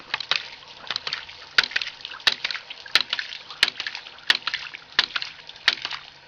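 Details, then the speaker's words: Gravity-powered ram pump built from common pipe fittings, no external power: sharp regular clacks about ninety a minute over trickling water as the waste valve slams shut each cycle after the valve is cracked open; normal pumping operation. "So basically gravity is forcing this pump to operate. Now we'll crack this valve here, and you'll hear the second valve start clicking."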